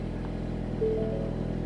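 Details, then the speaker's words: 2020 Ford Mustang EcoBoost HPP (10-speed auto) with forged short block (2.0 block, 2.3 crank), Ford Performance camshafts, 12 psi wastegate, freshly flashed ghost-cam tune, first start before warm-up: low, even idle hum, steady beat, no misses or knocks; idle is smooth. "the idle is smooth"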